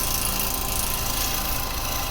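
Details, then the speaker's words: Woodturning lathe roughing down a large spindle blank between centres, the gouge held very lightly; steady motor hum under an even, continuous shaving hiss with no banging; clean cut without catches. "No banging. Removing nice bits of wood."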